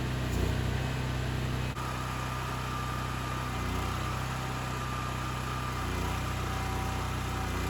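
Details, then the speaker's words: Wacker Neuson GP6600 6600W gas generator powering a welder doing tack welds. Steady, even drone holds speed under the welding load without hunting and without tripping the breaker. Normal running under load. "they're just doing some tack welds welders not the best but the generator is working it's not tripping the breaker everything seems working perfectly"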